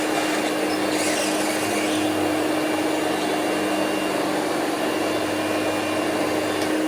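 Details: Green Hoover Celebrity QS Quiet Series two-speed canister vacuum with power nozzle plugged in, started on low: constant, even hum and steady rush of air with unwavering pitch. Runs normally, though the owner notes bearing noise on wind-down.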